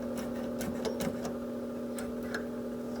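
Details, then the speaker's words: Circa-1985 Sega Shooting Master arcade cabinet at power-up, monitor unplugged, power supply voltage found adjusted too high (over 5.7 V): irregular sharp ticks over a steady electrical hum; intermittent electrical fault, cause unknown. "it's being intermittent again"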